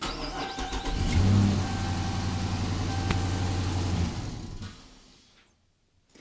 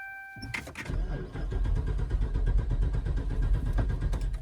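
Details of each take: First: 2014 Dodge Charger Pursuit Hemi AWD, restart test after replacing blown fuse: short crank, catches at once and settles into an even, steady low idle; clean normal start, cause of fuse blowing unknown. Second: 2014 Dodge Charger Pursuit Hemi AWD, after sitting a few minutes: starter churns in steady pulses but never fires, no fuel pump hum; owner suspects the pump, fuses and relays not yet checked.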